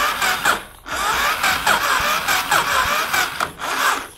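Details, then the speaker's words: Yamaha Fazer 250cc engine, stored unused a long time, during electrical check, jumped straight from battery: short starter bursts with chugging turnover about every half second, never fires. Cranks but won't start; spark unverified. "rapaz galerinha não tô conseguindo funcionar o que que eu vou fazer"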